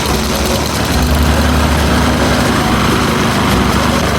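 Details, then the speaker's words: Toro Commercial mower model 22155 with Honda GSV190 engine, started on choke after servicing and new air filter: starts right away, steady even single-cylinder putter with no misses, knocks or rattles; normal idle. "Okay, choke on. Starts up right away. That's a good sign."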